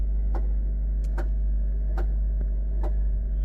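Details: 2020 Hyundai Tucson, 102,000 km, check engine light on, running rough at start-up; sharp ticks about every 0.8 seconds over a low, uneven idle drone. Noise traced to the turbo area; the turbo shaft has excessive play.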